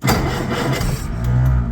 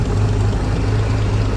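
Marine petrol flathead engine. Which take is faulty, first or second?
first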